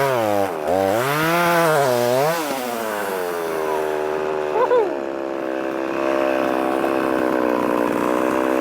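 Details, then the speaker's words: Revived Poulan 3300 chainsaw, now oiling, not hot, otherwise running good. It revs up and down, then holds a fast, steady buzz instead of a slow idle. Owner suspects the overtightened chain puts too much pressure, causing the high idle. "she's a hungry little booger I don't know why that high idle is like that um I don't know seems to be running good it's not hot"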